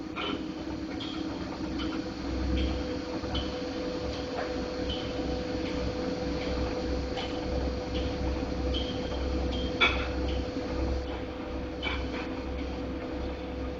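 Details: Godrej fully automatic washing machine running with a steady low rumble, faint hum and scattered light knocks and clicks; running rough, cause not evident.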